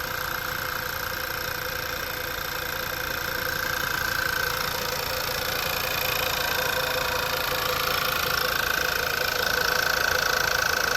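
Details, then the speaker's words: 2011 Volkswagen CC first start after work, battery at 12.1 V sagging during cranking, then charging at 14.3 V: engine smooths into an even, steady idle with a light regular tick, no misses. "now we're charging let's putting out 143 and now she's smoothing out she's getting better"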